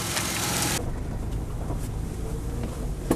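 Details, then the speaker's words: Ford Ranger, about 80,000 miles, after the misfire repair: a brief rush of noise, then a smooth, steady idle with no shaking and no flashing check engine light. Normal idle. "no more shaky shaky one more shaky shaky one more flashy check engine light because it was flashing what a difference what a difference"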